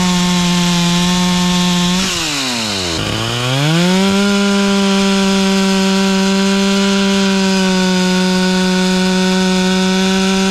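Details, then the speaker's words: Stihl 044 chainsaw rebuilt with cheap Amazon cylinder, piston and carburetor kit, OEM coil, carb tuned: high steady scream, revs sag briefly as chain bites wood then recover and hold; running strong under cutting load. "For a cheapy Amazon rebuild kit, I'd say it's running pretty good."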